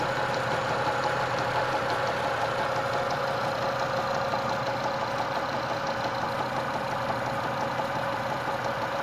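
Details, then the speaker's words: Light, fairly regular tapping at steady idle, source not pinned down; owner suspects the lower tensioner pulley, which wobbles slightly and was fitted about 20,000 ago; new pulley ordered to check. Knocking at idle. "Где-то что-то подстукивающий звук какой-то. Один товарищ мне сказал, что это, скорее всего, ролик. Вон там внизу натяжной."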